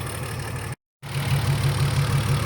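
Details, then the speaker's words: BMW E46 M54B30 with MS43 ECU, just retrofitted M56 valve cover and pencil coils, first start: uneven, lumpy idle with a recurring stumble; cylinder 2 misfiring, and swapping coils moved the miss, confirming a failed ignition coil. "well it started right up that's good but it sounds like it's missing a cylinder let me go check that out okay so cylinder number two is Mia I think the coil might be bad"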